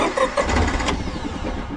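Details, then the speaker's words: Honda EV6010 generator in a '76 GMC Transmode motorhome, rear fuel tank missing: a few labored cranking pulses that fade without catching; cranks but won't start; owner suspects a leaking needle and seat or stuck float. "It's trying to start. Come on, buddy."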